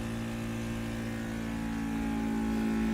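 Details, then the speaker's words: 3D mini vacuum heat transfer sublimation press, vacuum started with air hose on the mold cover for a 3-layer cup; steady even hum, faint tone rising as the cover pulls down: normal vacuum pump running. "Now, if do the sublimation, just put the second layer into the mold, cover it with the mold cover, attach the air hose to the mold cover, and start the vacuum button."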